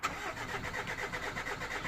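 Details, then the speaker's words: 2000 Mitsubishi Pajero 2.5 litre, crank no start: starter turns the engine over in an even rhythmic churn but it never catches. "now we have a 2000 M tobishi Pajero the 2 and 1/2 liter and it's a crank no start"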